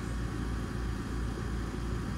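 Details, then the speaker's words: Home heat pump AC compressor running in heating mode, recorded over an owner concern of a small bump at shutoff: steady even low hum with no knocks, rattles or surges, shutoff perfectly normal; normal compressor operation. "certainly not going to change a compressor over that so any minute now we should yeah that was perfectly normal"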